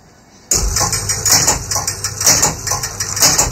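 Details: Gottlieb Spin A Card pinball machine, game-over fault being traced to a suspected motor switch: rhythmic clattering of relays and cams about once a second, steady and even; score motor cycling normally through game over.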